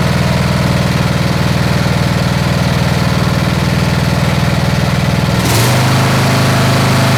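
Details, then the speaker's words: Snapper SR-Series 10HP Briggs & Stratton on an aftermarket Amazon carburetor, with fresh fuel plus Lucas Top Fuel, two-stroke oil and stabilizer: steady, even single-cylinder beat, speeding slightly near the end. Running well. "All right, so she's running good. All right, she's starting to wake up."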